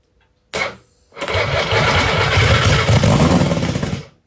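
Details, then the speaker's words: Norton Nemesis 1500cc fuel-injected V8, first bench start after rebuild with fuel poured in inlet ports: short crank, then loud even rapid run for about three seconds before shutoff; fires cleanly, normal running. "Well, there we go. It burst into life. I am so pleased. That sounds very promising."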